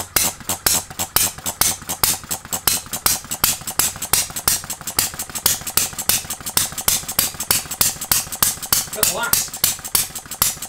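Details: Farm Boy model hit-and-miss engine at its first-ever run, after ignition timing was set and a Viton O-ring fitted: sharp pops about three a second, sustained and fairly even, as it runs cleanly on its own.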